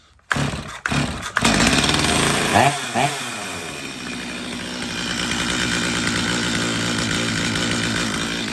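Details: Stihl MS250 chainsaw on first start before repair, in for not restarting when warm, with fines under the hood and a dirty air filter; fires after a few pulls, revs high and thin with no four-stroke burble at full throttle. Lean running.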